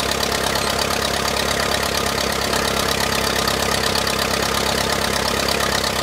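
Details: 1959 Case 300B (311B) tractor, 4-cylinder gas engine, parked outside 10 years, after filing the distributor points: starts and holds a steady, even chug with no stumbling; idles normally.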